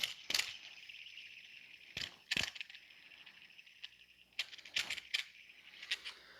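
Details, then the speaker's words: Subaru timing belt cog idler pulley, removed and spun by hand near the microphone: dry, gritty high-pitched rasp with handling clacks; worn idler bearing, among the first timing parts to fail. "the Cog pulley here there is some noise you can hear the grinding it's pretty bad yeah that's a pretty bad and uh and noisy"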